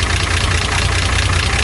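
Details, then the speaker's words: 1975 Datsun 280Z at first start-up after purchase, idling: fast light ticking over the exhaust, steady with idle speed. The owner thinks it needs a valve adjustment. "the only thing that I noticed it's probably gonna need some kind of like valve adjusted me"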